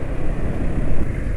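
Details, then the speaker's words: Motorcycle on Rock Oil 5W-40 full synthetic with Jumbo oil treatment additive: low heavy uneven drone, engine still rough and RPM drops quickly after revving; owner suspects the additive doesn't suit or the oil is degraded, unconfirmed. "jalannya suara mesin masih kasar ya kesannya itu kesannya itu jumbo Enggak banyak aditifnya ya"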